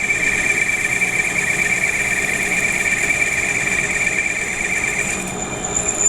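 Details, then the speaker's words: Lathe turning with a hand-ground, honed HSS right-hand tool at about 0.2 mm per rev feed: steady, even high-pitched singing with no chatter; smooth cut, slight record-player finish from the feed rate. "it's not a torn edge it's smooth to the touch it is a little bit of a record player but you can hear that and that's because of the feed rate"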